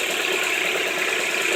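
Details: Honda H22 engine at steady idle with a light, rapid knocking tap throughout; owner says bad rod bearings, not proven.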